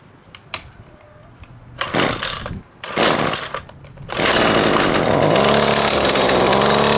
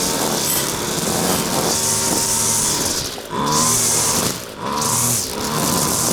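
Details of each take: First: Husqvarna two-stroke string trimmer on premixed fuel, primer bulb pumped, started in choke position: several pulls and sputters, then a steady buzzing run, but only on choke. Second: Husqvarna two-stroke trimmer after carburetor clean and reassembly, test run without air filter: high buzz revs up and drops back cleanly several times, steady at top, no bogging; runs properly, high needle maybe needs slight tweak.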